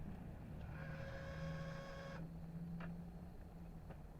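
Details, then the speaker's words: 1983 Honda CB1100F with prototype fuel injection, after 17+ years in storage, earlier pump current-draw issue resolved: steady electric whine for about 1.5 seconds at key-on, then it cuts off cleanly; normal fuel pump prime. "first thing you'll hear is the fuel pump kicking in"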